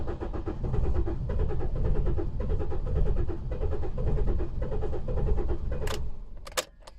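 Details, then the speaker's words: 2015 Holden Colorado RG 2.8 L Duramax turbo diesel, automatic: steady starter cranking, roughly one compression beat a second, with no catch or fire; cranks but no start, crankshaft position sensor performance code stored. "and as you could hear there it's cranking away but no start"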